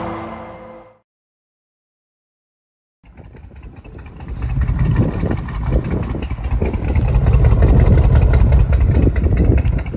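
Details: Mercedes W204 C63 AMG, 6.2-litre M156 V8: low, uneven stumbling bursts as throttle is applied, beat breaking up; heavy misfire with oil smoke from the tailpipes, engine suspected blown.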